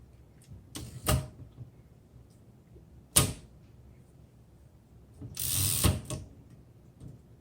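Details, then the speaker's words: 1913 Royal 5 typewriter: the carriage runs with a quick ratchet chatter and sharp slams, never halting at the set tab stop. The tabs aren't working; the cause is not identified. "Yeah, so it's just blowing through the tabs. You can hear it click as it goes through. So unfortunately, the tabs aren't working. This tab stop isn't stopping."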